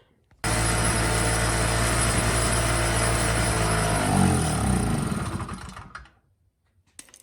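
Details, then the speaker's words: 2hp Chicago generator that won't stay running; engine catches and runs steadily for about four seconds, then falters and dies. Carburetor was dirty and needed cleaning. "as you can hear is it runs and then it dies so i'm going to pull the carburetor off just make sure that the carburetor is not the issue"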